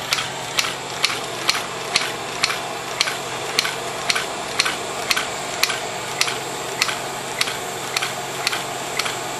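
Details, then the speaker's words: Beta Stirling engine running with little torque or pulling capability, speed creeping up a little after slowing; crisp, even ticking about two per second over a light hum; normal running. "yeah it doesn't have back to it doesn't have a lot of pulling capability doesn't have a lot of torque now it's speeding up a little"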